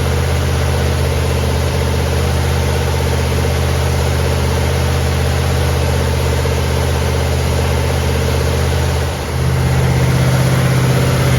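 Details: 1970 Chevelle SS 454 big-block Chevy with solid lifters, Comp Cam and locking rocker arm nuts, restarted to finish break-in after about 15 minutes' running; steady, even lope at about four pulses a second, brief dip near the end, idling down to 650 rpm; normal idle.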